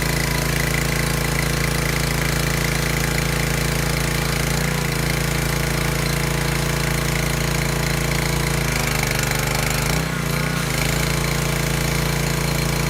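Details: Discarded Craftsman 2700 psi pressure washer with hose and wand attached. Steady, even engine drone with a low hum and faint pump chatter while washing under load; no misses or knocks, healthy.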